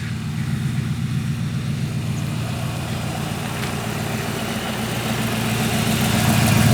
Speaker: so right now the 44 is running as good as it's ever run actually it's probably one of it might be the best running car we've ever had at this point it runs really good